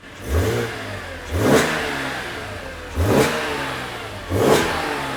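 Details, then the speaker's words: BMW E85 Z4 M Roadster with S54 inline-six, cold, running with the MAF sensor disconnected; four quick, crisp blips to about 3,000 rpm, each settling smoothly back to an even idle, revving cleanly and healthy. "Okay, that's just 2 3,000 RPM. The car is still cold, but it sounds fantastic, man."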